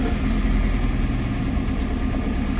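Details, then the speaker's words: Petrol car, a former taxi, at idle after a start to test whether the battery is the problem: low, uneven, lumpy misfire beat persists, sounding slightly better; exhaust/muffler to be checked next. "Okay. I don't know if you can hear it, but it's still making the sound."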